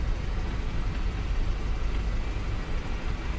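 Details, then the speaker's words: 1978 Ford F100 after a new power steering pump install, idling while the wheel is turned to bleed the system: low, even rumble with no whine or groan. The pump is much quieter than the failed old one. "power steering's already making way less noise than it was that other one was in no good shape"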